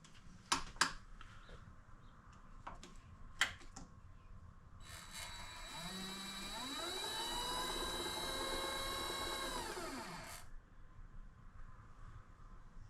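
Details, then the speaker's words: Vevor MX400 (WM210V) benchtop mini lathe after three years of use: a steady whine rises as the spindle speeds up, holds, then falls as it slows; owner believes the motor is wearing out, pulley to be inspected. "But if you listen, you can hear there's a wine now. I believe it's in the motor."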